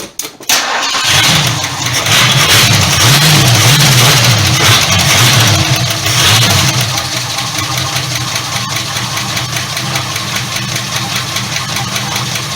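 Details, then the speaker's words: 1976 Ford LTD V8 at idle, now firing on all cylinders: light steady tapping from the rear, suspected rocker arm clicking on number 8 intake; not confirmed. "Okay, well you can hear it's still a tapping around back over in there."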